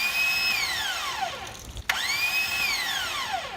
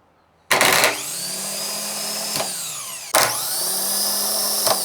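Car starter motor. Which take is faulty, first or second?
first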